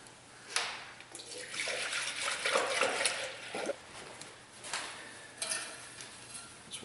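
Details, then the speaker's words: 2004 Toyota RAV4 2AZ-FE after stripped head bolt Time-Sert repair, filling coolant: irregular gurgles and glugs as air bubbles out; burping means no big leak. Normal coolant burping while filling. "you always want to hear it burping like that because if it just dumps straight in you got to leak"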